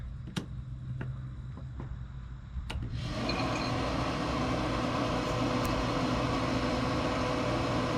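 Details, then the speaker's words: Pit Boss 520 wood pellet grill, over 5 years old, run with igniter disconnected: light clicks then fan rises to steady even whir, auger feeding pellets, GFCI no longer tripping, showing the igniter was the fault. "look at that it's not tripping now and it's feeding pellets I hear the augur spinning so that was our issue"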